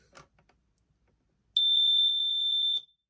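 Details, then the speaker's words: Smoke alarm on test with LED lit steady: loud, shrill high-pitched very rapid beeping for about a second, blurring into a warble like a GE or System Sensor unit; sounding normally. "get this a test this one does sort of a very very very rapid rapid paste beeping"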